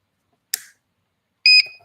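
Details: Timegrapher switching on for a mechanical watch test: a faint click, then one short bright electronic beep in a quiet room; normal power-on beep before auto beat detect.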